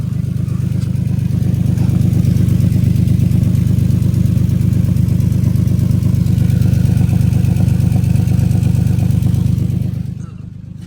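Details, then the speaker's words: Infiniti G37 with a misfire and a shaking engine, no aftermarket exhaust: a loud, raspy, popping idle with a steady rapid pulse and a harsh edge. Exhaust escapes through a hole in the muffler. "So, like I was saying, man, I do have a hole in my exhaust. That's why it sound like that little hole. A lot of people think I got an exhaust on here."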